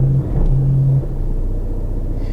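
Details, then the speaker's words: 2013 Vauxhall Insignia 2.0 diesel, 120,000 miles, idling with ABS and traction lights on: a lumpy idle with heavy vibration and a deep droning tone that drops away after a second. "oh dear no that's that's not that's not right at all can you hear that this is very very lumpy this worryingly"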